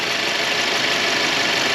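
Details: Turbo car idling in the shop after a brand-new turbo was fitted, hot bolt paste burning off; steady even idle with a smooth airy hiss, no knock, whistle or flutter; normal idle.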